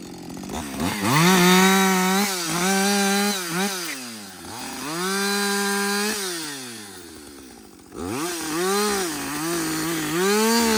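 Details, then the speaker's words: Husqvarna 562XP chainsaw after a dealer software reflash for dying when hot, stumbling and not starting: it holds a strong, steady high-pitched scream through each cut and revs cleanly between bites, with no stumble or dying. First full tank; healthy. "so this is a real life scenario right we're cutting we're cutting yeah you keep working this is really the First full tank"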